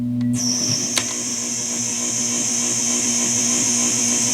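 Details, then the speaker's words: Tube guitar amp converted from a Hammond AO-29 organ, cranked into an attenuator: piercing steady high squeal around 6-7 kHz over hum, pitch changing as wires are moved; parasitic oscillation from long, badly dressed leads, improved after shielded wire replacement but not gone. "you can hear that there's still some uh squeal so let's move these wires around you can hear the pitch changes it's not as bad as it was though"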